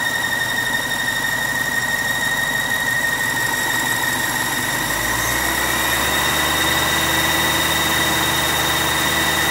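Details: 2006 BMW 750i: a steady, high-pitched squeal rides evenly over a smooth idle; the owner thought it was the belt, but it wasn't. Engine bay squeal at idle, source unknown.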